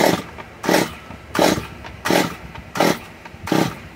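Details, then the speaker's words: Stihl MS 194 T chainsaw being started, choke just taken out after pulling: short rough bursts about every 0.7 seconds that fall back without running; coil seems to work, owner suspects a little water; sputtering. "okay it looks like he went too much he's trying"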